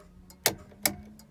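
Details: Austin Allegro 1300 SDL, ignition on, indicator switch checked during electrical testing: two crisp, even clicks about four-tenths of a second apart, a clean regular tick; flasher relay and indicators working normally.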